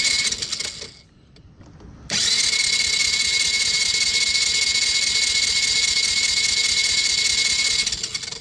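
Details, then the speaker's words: 1985 Yamaha Moto-4 80cc single-cylinder ATV on fresh fuel, hand over the carb, untouched carburetor, plug tested bad: harsh buzzing burst for seconds then dies; fires but won't keep running; spark or carburetor suspected. "Okay, so it kicked. It wanted to go, but I'm kind of concerned about the spark issue."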